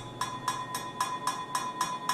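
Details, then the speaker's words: Eight sharp metal taps about every quarter second, each ringing bell-like, on the empty, unpacked 12-inch resonator removed from a 2000 Honda Civic exhaust (eBay header, test pipe, cat removed); too small to muffle raspy sound. "how tiny and ringy that is i mean there is no chance that that's gonna muffle any kind of sound out going down the pipe"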